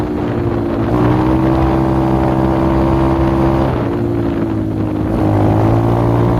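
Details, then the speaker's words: X-PRO dirt bike single at fast idle, with wind on the mic: lumpy, uneven beat that could pass for an idle air screw out of spec, but it's an ignition misfire. "Now at first you would think this is an idle air adjustment screw out of spec, but really it's an ignition issue."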